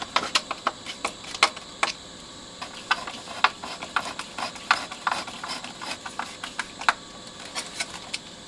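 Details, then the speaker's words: Bang & Olufsen Beocord 5000 vintage tape deck after service with all new belts and demagnetized heads: crisp irregular clicks and clunks as the transport shifts, no squeal or drag, no squeaky parts; normal tape transport operation. "this is see nice and solid now with all new belts no squeaky Parts"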